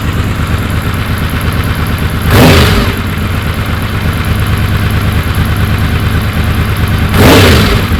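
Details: Honda VFR750 V4 on the lift after slow-screw O-rings were removed and the screws cracked out a quarter turn on each carb: steady idle, two quick blips rising sharply and settling cleanly. Response was anemic before; not yet road-tested.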